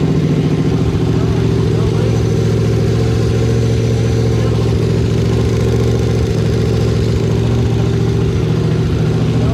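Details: 2002 Yamaha Venture Midnight Edition touring motorcycle after fuel pump, fuel filter and battery replacement and tank cleaning, choke pulled out: even, steady run with a regular beat and a light throttle blip, no misses or knocks; healthy running.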